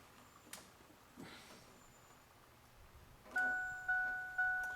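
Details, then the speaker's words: 1997 Ford Ranger 4x4, left door ajar switch wires bridged during repair of non-working dome light and door ajar: clear two-tone chime repeating three times, dome light on, door ajar warning now working. "yeah the dome light goes on so that's a door or jar and an alarm I mean and the dome light that hasn't been working you can hear the you can hear it beeping now and the dome lights on"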